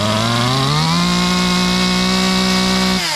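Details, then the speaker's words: Stihl chainsaw from Brush 28, no decompression switch, restarted with choke halfway up, foot on handle: catches and revs, settles into steady even high buzz, then eases off; normal. "I bring it halfway back up for the choke, and then I start it again. Foot on the handle. Now it started."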